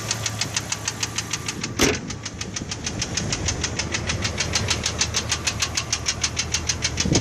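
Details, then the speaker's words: Truck engine at idle: sharp, steady knock about five times a second, no top-end noise, coming from the middle of the motor on one side; owner suspects piston slap rather than a bad valve. "I have no top end noise. It's all coming down middle of the motor, down on this side."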